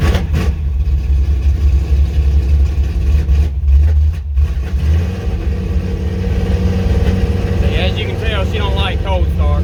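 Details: Square-body Chevy C10 small-block V8 with old worn carburetor, cold start before swap to Quick Fuel SS 680 cfm vacuum-secondary carb: catches reluctantly, runs lumpy and uneven with wavering note; worn carburetor.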